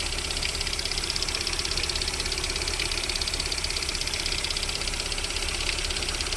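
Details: VAZ 21127 engine at cold idle during warm-up with a fast, even metallic ticking knock of about two beats a second; it disappears once the engine reaches about 40 degrees, source unknown.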